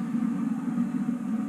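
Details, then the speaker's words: Homemade waste oil heater, version 3.0, with added heat exchangers, door seal and latch, and more intake-hat air holes. The burner gives a steady, even low roar without sputter or pulsing as temperature climbs from about 500°F to 660°F: normal burner roar. "he bottom the way it's supposed to be coming in and still seeping around the door and man you can hear it it is it's really going"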